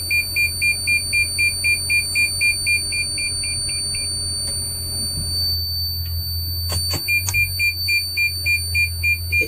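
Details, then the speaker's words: Van with push-button start, recorded inside the vehicle after start-up: thin, constant high-pitched whistle under a quick beeping chime. The whistle persists until the van is turned off; source unknown. "hi i'm in the vehicle and i wanted to let you hear this high-pitched whistle sound that comes when i turn it on"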